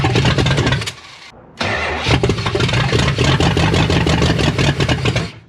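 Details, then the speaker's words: 1972 Chrysler Newport with swapped-in 440 big-block V8, first start after sitting since 2003: fires after brief crank into uneven, lumpy idle with irregular beats. Rough running; owner suspects guessed ignition timing and several vacuum leaks, unconnected hoses. "This isn't running quite right, but I know my timing is just a guess. There's also a couple potential vacuum leaks, like this one here, that one there, that one there."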